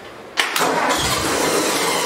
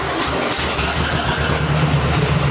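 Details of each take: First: 1964 Ford 4000 tractor, first start attempt after converting points and condenser to electronic ignition: cranks briefly then catches into a rough, uneven run, trying to start but not settling; hard starting. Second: 1964 Ford 4000 tractor after electronic ignition conversion and timing adjustment: even, steady low firing with no misses or knocks, idling smoothly; running normally, though owner feels a little power is missing, maybe a bad wire or plug.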